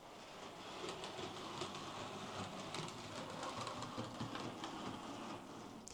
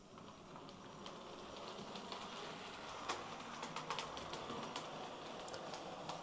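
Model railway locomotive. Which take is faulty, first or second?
first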